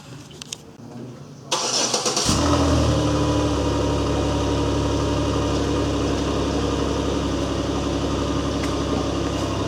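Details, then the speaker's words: 2007 Chevy Impala after DIY muffler replacement with adapter and clamps onto existing mid-pipe: quick start, even smooth idle, quiet steady exhaust with no rattles or leaks; sounds healthy. "Good as new."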